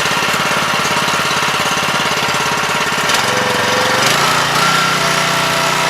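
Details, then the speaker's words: 7 HP Kohler air-cooled engine on a hydraulic power unit, freshly carb-cleaned after two years unused: choppy single-cylinder idle loses rhythm and sags toward stalling; idle speed and air screw need readjusting. "I know while we're stalling out we need to readjust that either screw"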